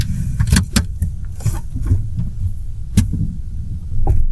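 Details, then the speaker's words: Renault Triber, about 5 years old, mic between accelerator and brake pedals: sharp irregular knocks and clunks over a low rumble pulling away in first and second gear; worn shocker (strut) mounts, fixed by replacing the mounts. "देखो आई कटक कटक की आवाज़ जो आई, ये देखो दोबारा आई। अब थोड़ा सा आगे बढ़ते हैं। अब मैं पहला गियर करता हूँ, ये देखो दोबारा आई।"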